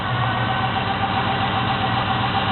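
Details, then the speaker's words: 1972 Chevy Monte Carlo small-block 350 V8, first cold start after a FiTech Go EFI self-learning fuel-injection conversion. Steady, even idle with a smooth low rumble and no knocks or misses, rpm dropping as it settles. Normal cold idle. "this is a selflearning system so I'm going to let it idle for a while let everything got set up Let the computer take in all that information"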